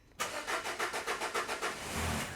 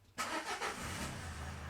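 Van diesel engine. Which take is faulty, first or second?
first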